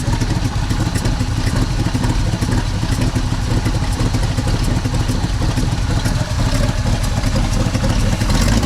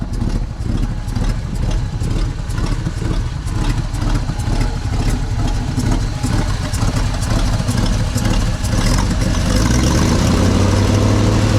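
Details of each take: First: 1964 Chevy C60 grain truck, 327 V8, long parked on a ranch, first start, likely running off fuel left in the carburetor, exhaust pipe loose; deep, steady rumble with an even lope and no knocks or ticks. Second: 1964 Chevy C60 grain truck, 327 V8, idling after restart on a possibly different tank; sharp, fairly even puffing tick about twice a second over the rumble, owner suspects an exhaust leak, not vacuum.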